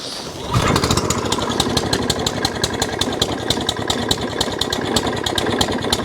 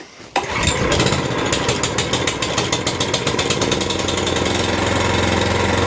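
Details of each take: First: Suffolk Punch 14SK cylinder mower, cold, after carburetor clean and service to cure hunting: catches after a few pulls, then runs fast, steady and even at full throttle with no hunting; normal running. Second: Suffolk Punch 14SK petrol cylinder mower. It runs fine on half choke, but off choke its speed surges and sags unevenly instead of holding steady; the hunting is put down to a carburettor issue needing a clean.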